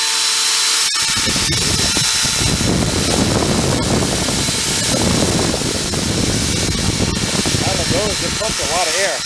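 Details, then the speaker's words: Hoover Elite carpet shampooer motor salvaged after smoking, run with fan: steady even high-pitched roar with strong rush of air, no knocks or grinding; normal running. "it's moving some air boy we'll let that run for a while"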